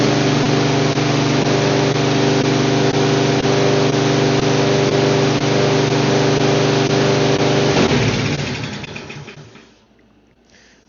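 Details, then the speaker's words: Salvaged mower with an automatic choke, started on carb cleaner: steady, even engine drone at constant speed, slight black smoke, then it winds down to a stop; runs fine with no misfire. "I mean, there's a little bit of black smoke, but it started and ran just fine."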